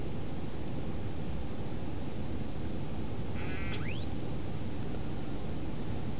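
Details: Samsung DLP TV, microphone held close to the back of the set as the color wheel spins up at power-on: over a steady hiss, a thin tone sweeps quickly upward with a high-pitched sawing rasp; the color wheel is noisy and needs replacement.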